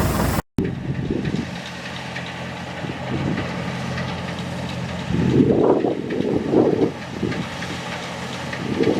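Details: Massey Ferguson 40 combine, Valmet six-cylinder diesel, harvesting after sitting three years and being recommissioned (elevator chain tightened, reel connection fixed): deep, steady drone with load swells, no knocks or misses; runs beautifully. Normal running.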